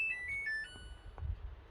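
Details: New Samsung washing machine being switched off before its calibration run: a short bright chime of a few rising notes, the normal power-down melody.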